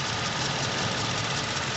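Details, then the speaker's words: Toyota Innova gasoline VVT-i at idle: rough, uneven, stumbling beat; vibrates in neutral and reverse but stable in Park; one cylinder is not working properly; misfire, traced to a dead ignition coil. "muna ako nito ha kasi may misfire e mayong isang silindro na hindi gumagana ng matino kaya ganyan yan"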